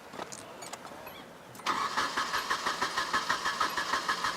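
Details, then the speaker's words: 1996 Nissan 2.4 with the old bad ignition coil reinstalled for a before/after comparison: starter churns in an even beat, about three per second, but engine never catches; no spark from the bad coil. "perfect we will save this one blue this is bad coil"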